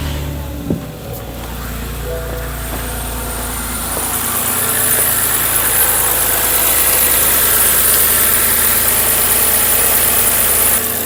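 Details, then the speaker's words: 2011 BMW 328i xDrive (E90, high mileage, all-wheel drive) after starter replacement, jump-started with battery at about 7 volts: quick crank catches at once, steady even idle, no misses or starter grind; normal start and idle. "No issues yet. It did start, which is really no surprise because we were pretty certain that it was the starter."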